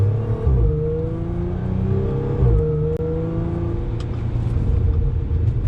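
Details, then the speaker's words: Audi S4 3.0 supercharged V6 with test pipes, after fitting a Magnaflow resonated X-pipe: smooth low drone with supercharger whir at light throttle through the gears in manual mode, fourth gear at low rpm. The former raspy drone is gone. "Obviously wasn't hard throttle, but normally fourth, low RPM, that used to be absolute drone city. Now it's just supercharger city. So much better."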